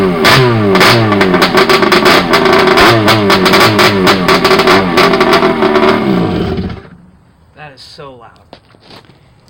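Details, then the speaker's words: Rebuilt two-stroke jet ski on its trailer, first start with carbs cleaned and new longer spark plugs, crank bearings somewhat worn: about six seconds of loud, crisp revving rising and falling cleanly, then shutoff; strong, healthy running. "tell you right now guys this ain't no cat or dog this thing sounds like it's about ready to jump off the trailer"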